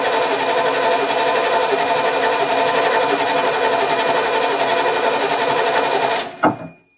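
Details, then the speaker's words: 1989 Ford F150, 61,000 miles, sat over 20 years, cranked via bridged starter solenoid: fast steady cranking churn for about six seconds with no firing. Cranks but won't start; owner suspects old fuel needing repriming. "It's all that old fuel, I'm sure. She's right there. Just got to get reprimed. Get rid of that old fuel."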